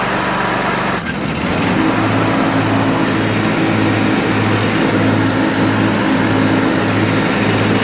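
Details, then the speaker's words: Bradley riding mower after fitting an original belt with about an inch of play: clunk as blades engage, then engine holds a steady, even beat with smooth blade hum; running normally under load. "And guys, if you know anything about lawn equipment, when I turn that on, you know how it's supposed to sound. And that's it."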